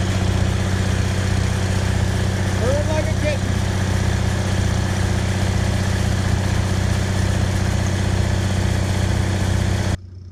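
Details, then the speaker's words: Used Onan generator for an MCI MC9 bus conversion, on petrol after its fuel pump was bench-tested; a steady low drone for about ten seconds then it cuts out on its own, as it has lately; owner suspects the fuel pump: generator stalling. "that's a generator running I have oh shoot that it alright it turned off okay well I gotta figure out what's going on"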